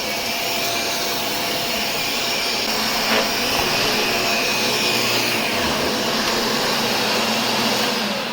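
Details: Shark Rotator vacuum after clearing debris from brush roll: strong, even high-pitched motor roar holding steady throughout, no grinding or labouring; repaired and running properly.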